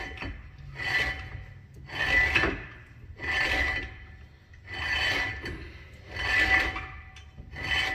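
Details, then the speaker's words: 1994 Firebird GM 10-bolt rear axle during a 3.73 ring and pinion install, axle shaft turned by hand: slow rhythmic rasping scrapes from a zip-tied, hanging brake caliper rubbing against the rotor. "If you hear that grinding noise, it's just this brake caliper hanging against the rotor from how I have it zip tied."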